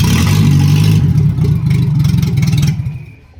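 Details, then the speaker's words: Nissan 1400 cold start: very loud raw rumble with chuffing pulse about four times a second; exhaust snapped off right under the new flange near the manifold; exhaust leak. "So you see, this is my issue. The exhaust actually ended up snapping off right underneath the branch bar of the new flange."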